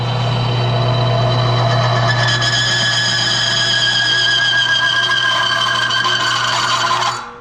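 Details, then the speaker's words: Bearing load test machine (motor oil additive demonstration), pressure applied until seizure; shrill steady metallic squeal for about seven seconds, then abrupt stop as surfaces heat and try to weld: bearing scuffing and seizure. "And what you're essentially hearing, that noise, is the two surfaces trying to weld themselves together."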